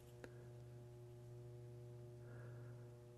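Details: ADA Digitizer 4 digital delay: quiet steady low buzz from transformer vibration humming through the case's bottom panel; felt-lining the edges failed to stop it.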